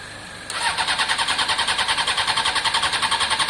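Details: Honda CBR600 F4i fuel-injected non-runner, unstarted about three years, previously only ran on spray into airbox; fast steady starter whirr about three to four beats a second, never catches; crank no start, fuel delivery suspected, pump appears internal to tank.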